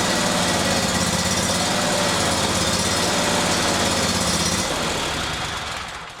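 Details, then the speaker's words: Briggs & Stratton Vanguard 37hp big-block EFI V-twin, freshly serviced (new plugs, filters, oil, fresh gas), lopes and surges unevenly on start-up; no trouble codes in software, high-pressure fuel pump (spec about 39 psi) still to be tested. "It's got fresh gas, but it's got a lope, a distinctive surge when you first crank it up, and I'll show you here in just a second."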